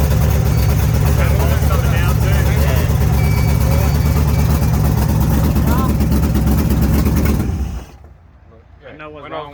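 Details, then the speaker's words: Carburetted V8 race car (1MADSIG) started with no fuel pump: it runs loud and lumpy for several seconds, then abruptly dies. Vacuum leaks were later found under the carbs while float bowl heights were set. "When I was doing that, it was whistling and stopping."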